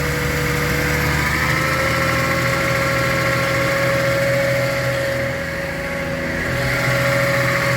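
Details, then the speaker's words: 1982 Datsun/Nissan 280ZX recommissioned after about 20 years unserviced. Steady, even idle with a smooth low beat and no misses or knocks. Running clean with a little smoke and very good oil pressure. "That does sound better. She's running cleaner than a roll of Andrex toilet roll."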